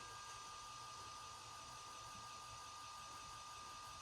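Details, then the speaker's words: FASS electric lift pump on a Duramax LBZ-swapped HMMWV Humvee, key on with engine off before first start, priming fuel to check for leaks: steady faint hum with a constant mid-pitch whine; pump running normally. "I'm going to turn on the key switch here and here's the pump [Music] you hear the pump is definitely running push some fuel up in there"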